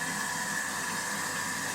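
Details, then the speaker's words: Kitchen food waste disposer that howled, after replacing the upper shaft bearing (6002-2Z) and seal where moisture got past the seal: even hiss with a faint steady tone and no howl or grinding. "Давайте включим его ну здесь самое главное ну вроде нормально Не ну по сравнению с тем что было да как он выл мы его даже после восьми вечера не включали чтобы соседей не пугать"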